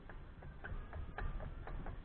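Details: 2004 Mazda Atenza front caliper, wheel off, pad moved by hand: quick thin metallic squeaks about four a second from pad metal tab rubbing the caliper bracket after pad replacement; fixed by breaking off tabs and regreasing.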